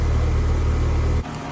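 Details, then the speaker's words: Home AC outdoor unit, running but not cooling, dual-run capacitor checked, cool morning; compressor starts with loud high-amperage growl then settles into steady even hum, no rattles; system now cooling normally. "little growl or Grumble of the compressor the outdoor temperature is a little cool this morning so it's going to take a minute for it to start circulating the freon that'll give us High amperage and a a loud startup but it'll settle down in just a second"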